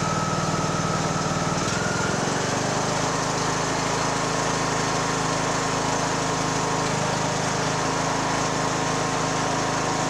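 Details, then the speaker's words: Poulan Pro 185A42LT riding mower engine during resale refurb, started on choke with shrouds refitted for cooling: brief stumble, then steady even putter, no knocks or misses; normal idle. "is pretty good nice and quiet actually okay we're gonna call that done"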